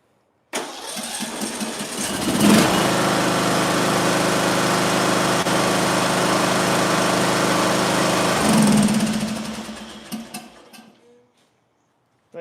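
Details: Small engine after closing up the ignition coil air gap, started without choke: catches at once and settles into an even, steady run with no misses, then shuts down cleanly; healthy running.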